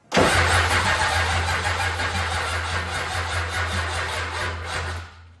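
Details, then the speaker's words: Rebuilt 7.3 IDI turbo diesel, first start attempt after fuel pump wired: starter cranks at about three pulses a second for five seconds, never catches, spins down; crank no start, owner checks 12 volts at injection pump fuel shutoff solenoid. "Anyway, if you ever have your injection pump and you're not getting any fuel to your injectors, it's very likely it's because you're not getting 12 volts to the fuel shutoff solenoid."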